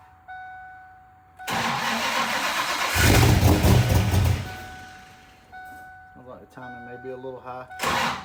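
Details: 1994 SN95 Mustang V8 after leaking caps were replaced, with timing, fuel pressure and a base idle reset still to do: a chime, then it cranks, fires and revs before dropping to a rough, unsettled idle.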